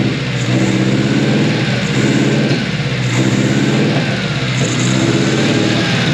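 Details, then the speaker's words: 1988 Mazda truck (body-dropped) running with an out-of-the-box unadjusted setup and Spintech muffler, smelling rich: revs rise and fall with an uneven, lumpy exhaust beat and stumbles; misfire, cause unconfirmed. "Smells a little rich, but at least it's running. That's all I care about. Sounds like we got a misfire. Yeah, we got a misfire."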